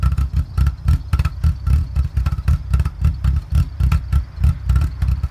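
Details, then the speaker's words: Mk4 VW GTI VR6 idling with a deep, uneven lope surging about twice a second, nearly stalling; vacuum leak from a broken brake booster hose at the check valve, fixed by replacing it with an OEM hose. "So a couple of weeks ago, I started it and it was immediately loping, like it had a aggressive cam in it, almost like an RX-7 rotary type. It was like brap, brap, brap."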